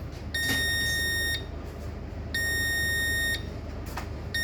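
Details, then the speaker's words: Demco fire alarm panel on ship KM Sabuk Nusantara 92, running on backup after power-off: shrill beep about one second on, one second off, repeating; trouble signal showing battery missing, backup battery not detected. "faou missing baterai faou missing baterai berarti baterai tidak dideteksi tidak ditemukan ditemukan hilang gitu ya Heeh"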